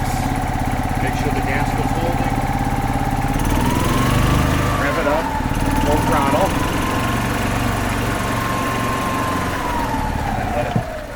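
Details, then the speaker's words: Gas 2005 Club Car Precedent golf cart, first start after 5 years, running in service mode on fuel left in the bowl, governor out of adjustment: revs up, then settles to a steady even idle with no knocking or clicking. "and then let it sit no knocking no clicking no no bad sounds"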